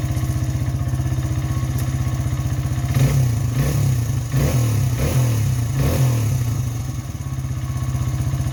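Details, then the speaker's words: Honda XR100 after a 120cc big bore kit, new carb, cam and air filter; float level corrected, pilot jet 35 instead of 36, idle screw adjusted. Even thumping idle, clean blips returning to steady tickover; engine healthy. "adjusted the idle screw and the idle speed a little bit and it actually seems to be running really well now I'll give it a kick so you guys can kind of see what it sounds like and how it idles"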